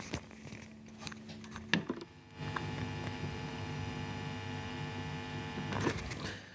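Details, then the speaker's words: Seven-string guitar with Fishman Fluence Modern pickups installed elsewhere: steady buzzy hum through the amp, drops considerably when touching the jack; likely no proper ground from bridge to shielding, a rookie wiring mistake. "sound is the sound of ground connection not doing what it needs to the reason why I can sort of confirm that as well is if I actually touch the jack there the noise drops considerably so that says to me there's probably no proper ground from the bridge to The Shield or something akin to that"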